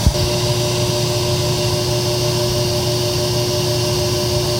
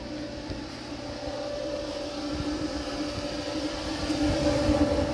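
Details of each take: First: Kenmore electric dryer built by Frigidaire, run on air fluff with a hair dryer heating the blower wheel: a steady loud hum and drone with a whooshing rush grows within about two minutes; the plastic blower wheel gets noisy when warm. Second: Frigidaire-built Kenmore electric dryer, reassembled after its fan was found to cause a loud noise on heat cycles once warm, now on high heat and warming up: smooth, even hum with a steady low tone, no rubbing or thumping. Normal running.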